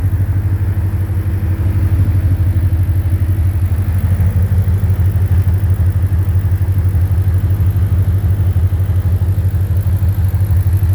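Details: 2010 Ford Mustang GT V8 at idle: a regular low knock about three a second over the rumble, louder near the oil pan and the torque converter/transmission; suspected rod knock, lifter tick or loose torque converter; unconfirmed.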